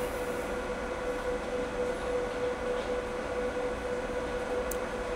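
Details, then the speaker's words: EG4 FlexBoss 21 inverter cooling fans running at about 6,000 W solar, where they kick on: quiet, steady low-pitched whirr with a thin constant mid tone, below conversation level, no scraping; normal cooling fan noise. "It's a a low pitched worring noise. You could easily have a conversation over this."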